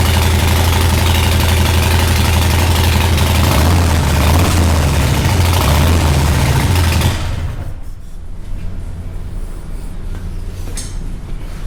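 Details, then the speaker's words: 2020 Harley-Davidson Breakout 114 rebuilt to Screamin' Eagle 117 Stage IV, first start after reassembly with fresh plugs, cold before test ride; loud deep V-twin loping at steady even idle, then level drops, healthy. "We haven't cranked it over anymore since the last time that you saw it. So let's start it up and see what it sounds like."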